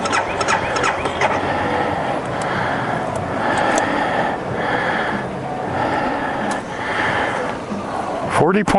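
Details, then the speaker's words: 2012 BMW Sertao G 650 GS single, about 3,150 miles, cold at 40.9°F, recurring starting issue (6th time): starter churns the cold engine in repeated bursts but it never fires; cranking no-start, cause unconfirmed (decompressor lever suggested). "She's in a I don't want to start mode."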